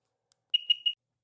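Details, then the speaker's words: 2007 RXP supercharged 215 hp jet ski during compression testing: three quick high-pitched beeps in about half a second and no cranking because the lanyard key isn't pushed fully on, so it won't start. "okay I think it was a key issue uh just didn't have it pushed on so here we go"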